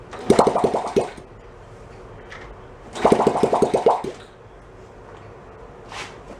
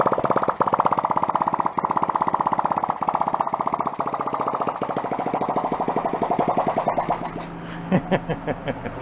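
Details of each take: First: 1972 Honda CT70 Trail 70 stored ~20 years, carb just cleaned, no muffler, choke position uncertain, fed from hanging fuel bottle: two bursts of sharp uneven pops, each dying after about a second; catches briefly but won't keep running. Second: 1972 Honda CT70 Trail 70, long-stored, carb cleaned, no muffler, no longer on 6 V charger, strong spark; crisp quick open-pipe popping at steady rate, then stumbles, spits and dies as it runs out of gas.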